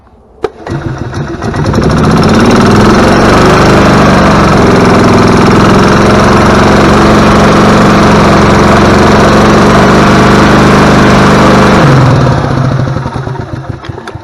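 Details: Gas Club Car DS golf cart after a new carburetor, voltage regulator and belts, charging at 14.5–15.2 volts. A quick start, then a smooth, even single-cylinder drone for ten seconds before a clean shutdown: normal running.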